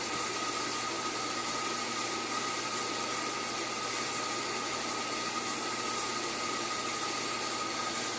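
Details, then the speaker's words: Sun SPARCstation 20 (75 MHz CPU, 128 MB RAM) during power-on self-tests: loud constant airy roar with thin steady whistle, like a broken vacuum; dying cooling fan, to be replaced. "but first it's running all these tests is the dry fan is dying now I purchased a dry fan at the Micra Center for like 10 bucks and I'm going to actually replace it"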